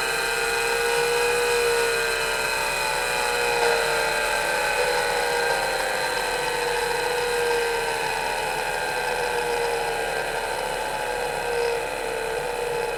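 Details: MiniScribe hard drive in a 40-year-old IBM 5161 expansion unit on an IBM PC 5150, mic close to the drive: loud whine with stacked tones drifting as the spindle hunts for speed on a slow spin-up, then settles.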